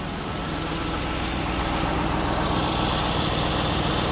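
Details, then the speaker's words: 1993 Lexus SC400, nearly fully warmed up, idling smooth and steady just over 1000 rpm with a low rumble and no hunting, after the faulty idle air control valve was replaced; normal idle. "very smooth very smooth wow very smooth all right so i wanted to turn the car off just in case you guys weren't able to hear me night and day difference very smooth idle"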